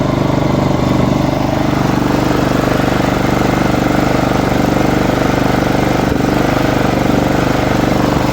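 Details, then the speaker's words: Small lawn mower engine idles with a slightly uneven beat as rpm wavers up and down; surging idle from fuel starvation in the intake line from the tank, normalizing when air is blown in. "It's not actually the slags or the how it takes. It's a RPMs drops ups and down, and usually problem is like you saw in before."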